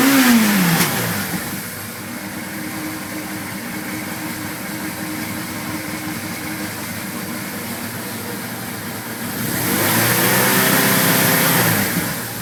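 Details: 1981 Suzuki GS850G four-cylinder after replacing cam buckets and reshimming valves to 0.06 mm: smooth, even idle with a brief rev; clacking gone, though an intermittent tick was noted, maybe spark plug wire arcing.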